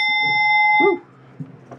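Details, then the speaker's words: Williams 1967 Magic City electromechanical pinball, chimes after fitting new coils for the big and small bells: single clean bell strike rings clearly and decays evenly; normal chime operation. "here are the new coils in uh the big Bell and the small bells and they work so"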